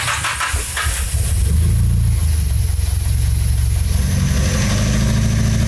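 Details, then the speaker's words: Nissan Silvia S14 SR20DET just fitted with rebuilt Garrett T28 ball-bearing turbo, fresh start: lumpy, uneven idle with a stuttering low exhaust beat, misfire; engine was unresponsive and spark plugs (BKR6E11) found black. "Karena tadi dihidupin terus agak sedikit kurang responsif, ternyata pas dibuka businya hitam kayak gini."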